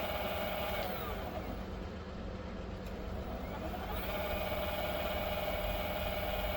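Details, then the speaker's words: Bafang BBSHD 1000W 52V mid-drive motor, new from the box and bench-tested before mounting on the bike: clean motor whine rises and falls, then holds a steady pitch with no grinding or clicks; healthy motor. "Ah oui, je pense qu'on l'entend en vidéo. Ça marche."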